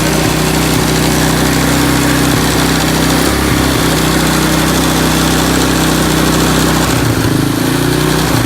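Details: 1987 Honda TRX200SX ATV single-cylinder engine after carb cleaning and fresh fuel, cold weather: fast even idle with only a brief sag near the end, no misses or rattles; runs fine.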